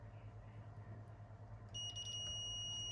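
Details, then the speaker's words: Minelab GPX 4500 metal detector, worse after an earlier repair: a steady high continuity tone, drain to source, shows a dead shorted transmit driver MOSFET. One driver was replaced before and the other failed, causing funny waveforms. "And there we go. Source to drain, short circuit, right? That's that MOSFET there is dead."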